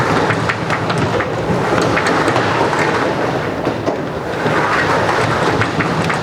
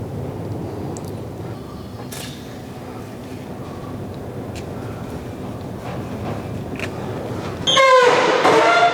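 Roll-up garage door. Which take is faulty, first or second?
second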